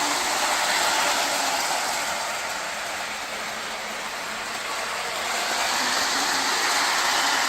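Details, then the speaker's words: Lionel 2032 Erie FA-1 model locomotive on the test track after wiring repair and a fresh horn battery: even, fast rail clatter with steady motor whir, no stutter or grinding; running well. "let's put the shell back on and give it a test run all right we got the Train on the test circuit let's see how she'll [Music] [Applause] run yep she's running well"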